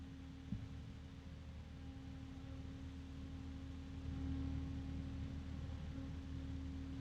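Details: Noctua fan compared with Corsair ML120: quiet steady airflow hiss with a clear constant mid-pitched hum; Corsair louder overall but Noctua's pitch cuts through; normal fan with tonal hum.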